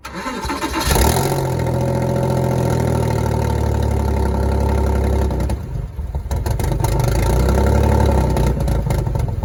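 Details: Porsche Boxster hardly running: cranks and catches, then a lumpy, uneven idle with a stumbling beat and a sag near the end; owner asks whether it is running on only 3 cylinders, likely a misfire.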